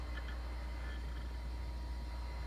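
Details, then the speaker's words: Original Xbox 1.6, the quiet comparison console placed beside a very loud 1.0 Xbox: steady low hum with a faint constant whir, no rattles or surges, noticeably quieter; normal running. "but we definitely tell it's a lot quieter now granted this is a 1.6 and this is a 1.0"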